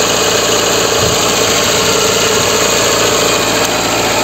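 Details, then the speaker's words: Lada Kalina 1 that had lost its idle, after the fix: steady, even idle with no dips, stumbles or hunting; problem gone, though idle around 1500 rpm is considered too high. "проблема ушла проблема ушла это радует"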